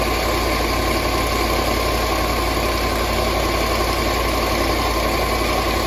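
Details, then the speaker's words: Land Rover LR4 idling during a combustion-gas block test at the cooling system: loud, uneven idle with a lumpy beat about one to two per second over a steady drone; rough idle or misfire, cause unconfirmed. "you can hear it's not running too good"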